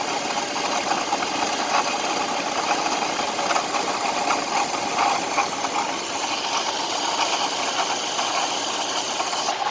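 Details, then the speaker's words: 2004 BMW 530i idling with a busy metallic rattle and a thin high screech on top; source of the screeching not yet located, owner asking for help. "I have some engine noise, so if anybody can help me with this engine noise, that would be greatly appreciated."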